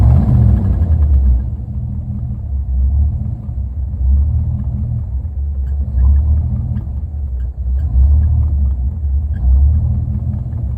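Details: Low, uneven idle with the rumble surging and sagging every second or two; a rough, hunting idle, cause not clear.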